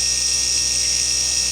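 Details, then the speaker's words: 12V DC 775 motor driven through a PWM module with the potentiometer turned to full: a steady, loud, high whine from rotor and commutator friction, no wobble or grinding; normal full-speed run. "Suaranya juga sudah nampak agak muncul ya, kencang ya, dari gesekan yang dihasilkan oleh rotor dan komutatornya. Saya tambahi, saya putar ke kanan. Ini sudah full teman-teman."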